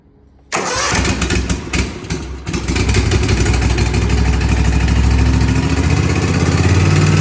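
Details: 2023 Cub Cadet ZT1 50-inch mower right after throttle cable replacement (part 746P06892, Kawasaki FR691V engine): cranks briefly, catches cleanly and settles into a steady, even run that picks up smoothly with throttle; engine and new cable work properly.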